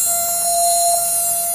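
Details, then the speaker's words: Replica Imhotep relay charger (small battery desulfator) powered by a solar cell, sitting on a hollow wooden door; steady even mid-pitched buzz with thin high overtone, relay humming normally. "Sitting on this hollow wooden door, you can really hear it humming away, right?"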